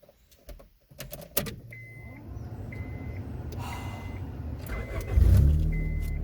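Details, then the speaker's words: Neglected 2003 Honda Civic EX automatic on a hot day, coolant-consuming, with a damaged exhaust: door chime, brief crank, then it catches at once and settles into a steady idle; normal engine start. "As you can see, besides the smell of exhaust and how fucking goddamn hot it is, I mean, it runs just fine."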